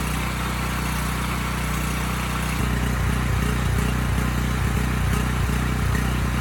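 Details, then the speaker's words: Briggs Vanguard on a Powermate 5000 W generator after carburetor cleaning (jets fine, dirty emulsion tube found): steady single-cylinder drone with a slight regular rise and fall in speed. Running well now but still hunting a little. "okay well i think that did it it's running well now you know it's still hunting a bit"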